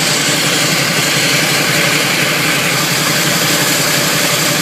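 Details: Camaro automatic at low idle: harsh, steady gritty grinding that has worsened since starting, especially pulling away and shifting D-N-R. Flywheel teeth minorly chipped where the starter meets them, bolts tight; flywheel/starter/torque converter suspected.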